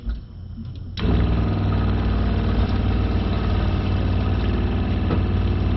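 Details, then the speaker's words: Shurflo 4008-101-A65 RV water pump after a simple repair: the housing had come apart because its screws vibrated loose (owner thinks they are too short), so it was screwed back together. It pressurizes and runs water, settling into a low, even pulsing hum with no rattle, working properly. "well there you go ladies and gentlemen we have a properly working pump only issue were those screws vibrated loose"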